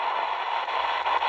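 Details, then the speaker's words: XHDATA D-219 radio tuning slowly near 21 MHz band: steady hiss with soft pops between stations as the tuning wheel moves, normal inter-station popping instead of muting. "you can hear that popping you hear that again continuously slowly dialing the tuning wheel but it just pops between stations"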